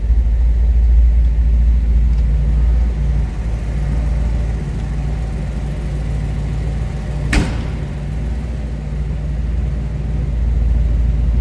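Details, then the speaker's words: 1934 Ford Deluxe 3-window coupe street rod, fuel-injected 327 V8, just after cold start, heard from rear: deep, even rumble with steady beat and no knocks or misses; healthy cold idle. "Slip around back so you can hear this run. Like I said, nice sounding car. Fuel injected, 327."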